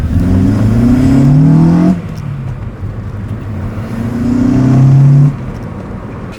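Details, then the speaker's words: Rebuilt Acura TSX with check engine light on and earlier oil pressure switch trouble, VTEC set at 4,500 rpm: two hard pulls climb smoothly with turbo-like induction sound but no cam changeover jump; owner suspects VTEC isn't engaging. "It sounds like I have a little turbo schooling, man, with that induction sound. I don't think VTEC is engaging."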